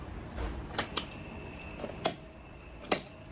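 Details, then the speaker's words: 16-inch wall fan running with its front grille off: quiet hum broken by sharp, irregular clicks and taps from the loose plastic motor cover, which go quiet when held by hand; motor shaft noise already reduced. "ตรงแกนนี่เงียบไปแล้วนิดนึงนะครับแต่ว่าตรงนี้ผมสังเกตตรงนี้นะครับเนี่ยกาะพลาสติกตัวนี้นะครับเนี่ยเวลาจับอย่างงี้เวลาเรามือจับเนี่ยเสียงดังหายนะครับ"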